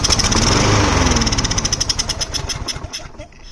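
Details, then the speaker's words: Craftsman Precision lawnmower that wouldn't start, run on brake cleaner as starter fluid. Fires fast and rough, then slows and dies within seconds; blocked carburetor with stuck float needle, overhaul needed. "Okay, so it would start with starter fluid, but it would die right away. Looks like I need to overhaul the carburetor."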